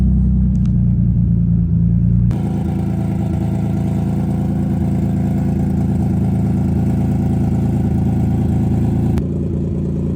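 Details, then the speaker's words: 2005 Nissan 350Z with VQ35HR swap, 69k miles, first run since 2018 after seven years off road, coolant bled and fluids topped, fuel pump sounded weak; steady even low idle rumble, slight tone shift, no knocks or misses. "running for the first time since 2018. It's now 2025. This car has been abandoned for what does that make it? 7 years."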